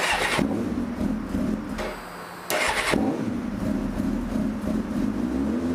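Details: 2005 Suzuki GSX-R600 after clutch cable free-play adjustment, started and put in gear to check the clutch isn't hanging up: catches and settles into an even idle, brief dip into gear, no drag or clunk; normal.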